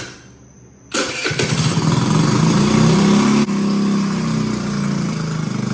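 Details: Bintelli 50cc two-stroke scooter test start after carburetor replacement, still on the old spark plug: brief cranking, then it catches and runs steady and even with no misfires or stumbles, starting cleanly.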